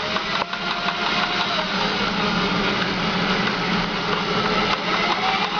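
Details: Honda Steed 400 V-twin idling with a busy, rough tapping through the mechanical clatter; owner suspects the oil pump knocking, though oil pump spits oil fine when spun, cause not confirmed.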